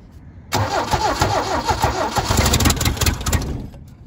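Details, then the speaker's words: 1972 Toyota Celica 18RC, first run in 26 years on a rebuilt original carburetor, cold day, no choke: catches at once and idles fast and loud with a raw puffing from an exhaust leak on one side; an uncapped intake vacuum port is suspected for the high idle. "it's a little bit loud because there's an exhaust leak over there on that side"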